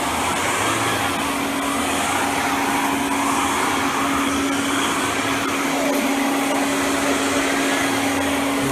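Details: Kirby G6 2001 Limited Edition upright vacuum, restored with a replaced fan and brush roll and a new Tech Drive switch, zip brush attached: loud steady roar at an even mid pitch that never dips or bogs; running strong and healthy.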